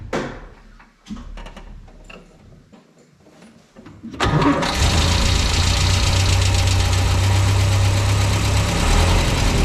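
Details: 1967 Land Rover Series 2A after swapping its troublesome Solex carburettor for a used Zenith with a modified, inverted original arm: handling noise, then it fires and settles into a steady, even low idle with no knocks or misses.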